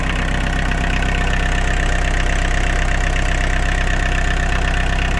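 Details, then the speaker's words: VW Caddy 1.6 naturally aspirated diesel, cold start after a month standing with only brief glowing: a steady, even idle clatter and smooth low rumble with no misses or knocks, sounding healthy. "Siellä yrskyttää 1.6. Vapaasti hengittävä diisseli."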